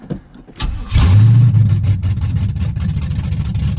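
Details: 1987 Firebird after replacing alternator and starter and checking wires: short crank, engine catches at once and revs, then settles to a rough idle nearly dying as idle screws are not yet adjusted; starter now works.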